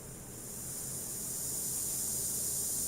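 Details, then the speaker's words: Car audio preamp with gain turned up to the 2 o'clock position giving a steady, even high-pitched hiss; normal preamp noise at such high gain, not repairable. "แต่ถ้าเร่งไป14:00น.นะฮะก็ซ่านะครับผมแต่ผมถามหน่อยใช้งานจริงมีใครหมุนขนาดนี้มั้ยนะฮะก็สร้างเป็นเรื่องปกติครับอย่างนี้แก้ไม่ได้นะฮะ"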